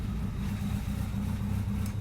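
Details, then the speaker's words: 4G63 DSM-swapped AWD Mini Cooper, not fully tuned, trigger advance set to 20 degrees, spark advance locked at 5 degrees: steady smooth idle at about 900 rpm with a slight cammy lope, no knocks or misses; normal idle. "engine maps at 51 rpms idling at 900 oh man this thing sounds good little cami even though there isn't a cam in it apparently"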